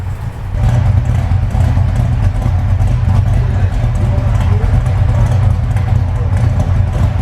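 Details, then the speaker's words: Numbers-matching Dodge Charger 500 V8, idling on its own: deep, steady rumble with an even beat, no misses, knocks or stumbles; normal idle. "almost last year you had it running here it is it's only it is idling on its own"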